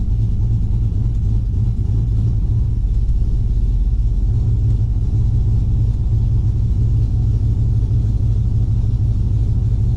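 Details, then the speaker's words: Cammed Gen 3 V8 (112° LSA cam) on a tune reverted to stock 2004 Yukon except base running airflow: steady deep rumble at a raised, unchanging speed, no settling after start; high idle, cause not yet found. "So kind of trying to nail down what it is that's keeping the throttle open and idling so high."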